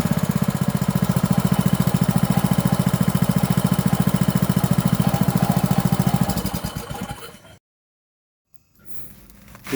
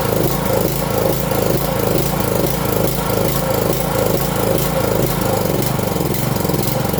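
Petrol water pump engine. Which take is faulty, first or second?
second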